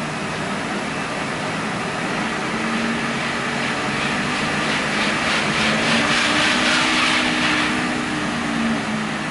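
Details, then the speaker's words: Truck with the left front wheel jacked up and spun in gear gives a low hum varying with speed from a worn left front wheel bearing; the hum was worse in right turns on the road test, and the wheel wobbles; ABS warning on. "R ABS isn't happy but I definitely heard the wheel bearing sound there"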